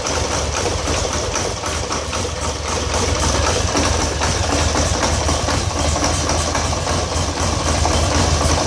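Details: 2013 Polaris Sportsman 850 XP HO twin idling with choppy uneven thump and wavering loudness; code 520194-7 throttle stuck, TPS voltage can't be set, new TPS, swapped throttle body and IAC, cleaned T-MAP, no change; cause unknown.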